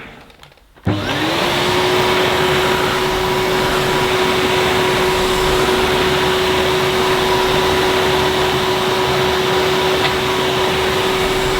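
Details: 2005 Numatic Edward Turbo vacuum with turbo electric head, pushed on carpet with the vent closed: spins up to a steady, very quiet whine with smooth airflow hiss and no rattles; normal running.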